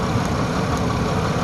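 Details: Engine idling with cylinder 2 misfire: low uneven chug with faint sharp snaps from a spark plug wire arcing, likely mouse-chewed; taped up temporarily, new wires to be ordered.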